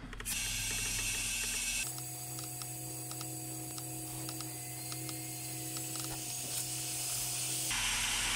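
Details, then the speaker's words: Turbocharged Mazda, home-made boost leak tester pressurizing the intake (around 10–15 psi suggested), charge pipe has popped off before: steady loud hiss with faint ticking behind it as the MAP sensor o-ring leaks badly; o-ring to be replaced. "while our map sensor o-ring is leaking like crazy and that's uh big time no good on these cars"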